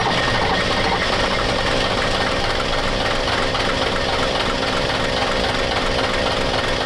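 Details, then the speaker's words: Diesel truck being bled of air in the injection lines: rough, uneven clatter with lumpy, irregular firing; misfire, firing on only one cylinder. "Like hitting on one, that one."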